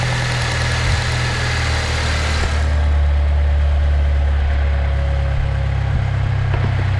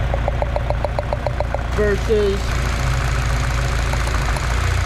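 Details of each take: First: Saab 9-3 with misfire, testing coils while idling: smooth steady idle with faint light ticking at the ignition coils, indicating each is sparking; normal coil ticking. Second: Saab 9-3 with misfire, found without a diagnostic tool: light regular ticking, about three or four per second, over a rough idle. Tick from one coil is very quiet; a failing coil pack is suspected and being replaced.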